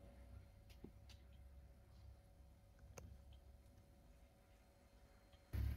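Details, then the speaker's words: Welder with flashing power light and no output, after repair, fan unplugged, powered on: faint single click of the power relay closing with a soft steady hum; normal power-up. Zener voltages now about 6 V. "Đấy các bạn nghe tiếng le đóng này. R le đóng nguồn nhá. Tiếng giò dò dò dò nhẹ nhá."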